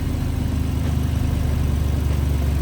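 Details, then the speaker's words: Ford Explorer V6 after misfire repair on cylinders one and two, codes cleared: engine restarted and now idles evenly and steadily with no stumble or missed beats, running smoothly on all cylinders; normal idle. "silnik już Równo pracuje Widzicie"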